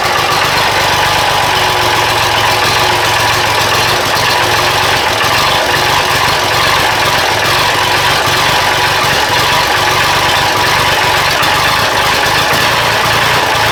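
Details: Diesel engine after an injection pump timing check for a miss and hesitation, started with starting fluid at 46°F, not yet warm. Steady clatter with a slightly uneven, lumpy beat; seems better but still rough idle. Cause unconfirmed.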